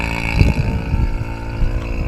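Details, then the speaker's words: 2000 Ford Mustang GT A/C recharge, vacuum pump with both gauges opened fully: low gurgling, burping chug over a steady hum, no grinding, gauge pulling down and removing moisture and non-condensables; normal evacuation. "up both of them all the way, and you'll see the gauge, it starts pulling down. Now, all of that steam, smoke stuff coming out of there, that's moisture in the system. So it's pulling out all the non-condensables, and you'll be left with a nice dry system when it's done."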